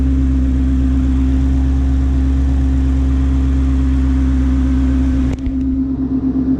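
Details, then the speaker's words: 2018+ Ford Mustang GT V8, 21,000 miles, warm idle after running about five minutes: smooth, steady low hum with the known engine tick barely there if present at all; owner considers it normal. "I mean if you can hear the tick I mean it is barely there on the car if there was one at all"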